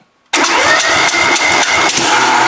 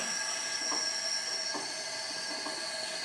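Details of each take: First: Compression test on a twin-cylinder engine (Plan B): carburetor cleaned and adjusted, valves adjusted; cranked at wide open throttle, both cylinders about 200-202, even. Steady, even cranking pulse about four per second, strong on every stroke: normal compression. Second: Twin-cylinder engine leak-down test, both cylinders about 200 psi on compression: steady airy hiss with faint irregular puffs as the cylinder is pressurised, air escaping past the intake valve, which should seal.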